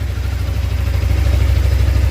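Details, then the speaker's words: Suzuki GSX250R fuel-injected motorcycle after an FI warning light repair, light now off, low on fuel: smooth, even low burble at idle with a steady firing beat and no misses or rattles; normal idle. "sounds good going to let it run for a minute make sure I don't see any dripping down from the bike"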